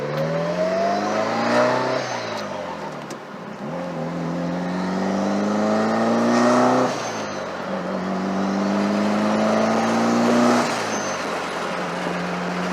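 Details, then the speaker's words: Mitsubishi Evo on first drive after fitting an FP Red turbo with no exhaust leaks: pulls through the gears with a rising tone and a blow-off hiss on each lift. The sound differs from the original turbo, with slightly more lag. Healthy boost. "Bing sounds totally different when it's pools versus the original turbo just sounds way different"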